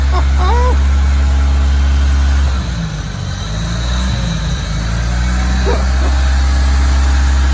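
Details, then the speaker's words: Turbocharged Merkur XR4Ti just started on old fuel: steady even low rumble, consistent firing beat, no knocks or misses; normal idle. "Incredible. It runs. It runs. It just plain runs. I can hear the turbocharged power."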